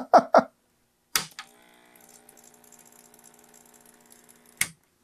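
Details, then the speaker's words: Macintosh Classic analog board at power-on: a switch click, then faint uneven ticking and flutter over a thin steady whine as the supply tries to start but never settles; cause unconfirmed, solder joints not yet checked. "so it sounds like this analog board is also having trouble it's kind of starting trying to start up but it's jittery"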